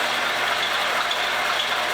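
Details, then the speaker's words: Montgomery Ward Logan lathe 04LC-700A with new Dayco 5070405 serpentine belt: steady whirring with faint intermittent high chirps, worse on the middle one; owner unsure, may need to bed in or need oil after being taken apart repeatedly. "i can hear a little bit of squeak so i may want to get up into this air the bat drive system i'm pretty sure it's coming from there and do a little bit of work it squeaks more on this guy right here on this middle one"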